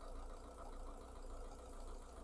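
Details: MG TF after new O2 sensor fitted and codes cleared: steady, even low rumble at idle with no misses, hunting or knocks; sensor now oscillating between 0 and 1 as it should.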